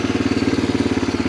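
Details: 1987 Honda TRX250 Fourtrax ATV, sat about 10 years, after carb work with temporary gas tank: single cylinder putters at an even idle, about fourteen firm beats a second, no misses or hunting; sounds healthy.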